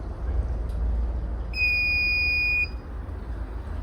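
A single steady high beep about a second long at switch-on, then quiet hum; normal power-up beep.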